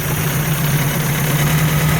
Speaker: Weird noise I'm hearing in the engine. Might be a rocker, a lifter, or something. That's not happy. But I'll look into that cuz this engine sounds horrible.